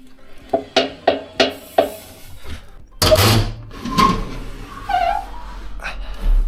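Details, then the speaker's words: Electrolux washer-dryer knocking during the wash, a problem it has had for a long time. Heavy hollow thumps about three per second, then tub rumble. The cause is a cracked drum pulley where the belt fits, loose on its shaft; a replacement must be ordered by model. "здесь шкиф разбит куда ремень надевается видите он болтается и вот это вот оно даёт звук"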